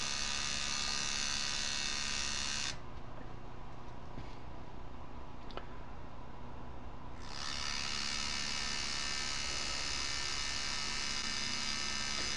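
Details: Refurbished 1984 DC Johnson FAC-1 lambda control unit for K-Jetronic (CIS), simulating a full-throttle switch closure: the bypass frequency valve buzzes steadily with a hum beneath, drops out briefly, then resumes evenly. Frequency valve cycling normally.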